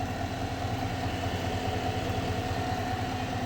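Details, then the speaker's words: 2021 Silverado V8 (electric power steering) idling: a thin steady whine from the engine that rises with revs. An alternator load test did not change it, so a worn idler pulley bearing is blamed; the idler pulley and serpentine belt get replaced. "It does sound like it's coming from the engine. It does get higher or faster of a whine when you rev the engine"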